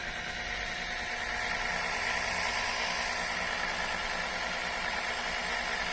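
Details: Electric oil extractor pulling Mercedes engine oil from the oil pan via a tube, first run: steady hissing motor drone with strong suction rush, no knocks or rattles; so much suction it collapses the container flat, pump running normally.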